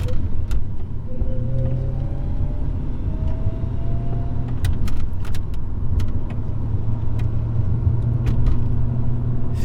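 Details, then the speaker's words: HSV VS Clubsport on the road after a secondhand diff was fitted for a rear-end vibration and noise; a steady low rumble with no clunk, whine or grinding, only slight vibration left; normal driveline. "feels like there's a little vibration there but it's um it's definitely not as bad as what it was I'm fairly confident where we're done with this part um I would say that it is just normal Drive Line vibration that is left"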